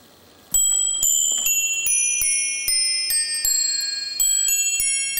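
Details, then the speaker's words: New Haven Eight-Bell Chime No. 1 clock from the early-to-mid 1890s, chiming on eight nested cup bells, restored after improperly replaced parts. Hour chime: about a dozen clear, evenly struck bell tones with clean decay. Normal hour chime. "remember this is before chime clocks had standard chime melodies so here is the quarter that sounds a lot like the Whittington chime melody the 3/4 and the hour"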